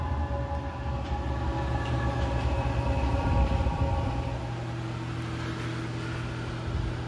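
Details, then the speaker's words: 8K diesel air heater on its first run in a temporary test setup, exhaust aimed at a vent: deep rumble swells for a few seconds as it fires, then settles into an even roar; lit and burning normally, getting hot. "oh it just fired up here i can hear rumbling oh it's getting hot"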